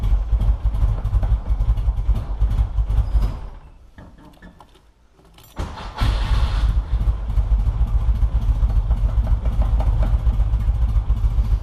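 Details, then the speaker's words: High-compression VW Beetle with chronic cold-start dragging, cold start after battery charged to 100% by trickle charger: runs, dips briefly, catches quickly on first or second try and settles to steady low idle; healthy cold start, battery suspected faulty. "I'm gonna be able to hear right away having it charged will make it crank faster and it'll probably fire up a lot quicker so we'll see what happens"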